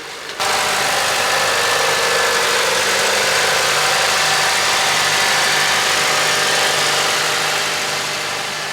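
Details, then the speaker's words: Honda after a cold start: settles straight into a steady even idle with no knock or stumble, smooth as silk, normal. "Time for a cold start on the Honda. Well, the Honda sounds pretty smooth as silk as well. Let's take a listen."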